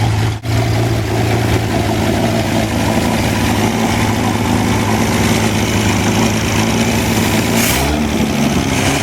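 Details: Wolseley 14/56 14/60 six-cylinder engine on a stand after years of storage, warming slowly due to oversized Ford 351 cooling system: smooth, even idle, deep steady hum, no bottom-end knocks or ticks; good oil pressure, normal idle.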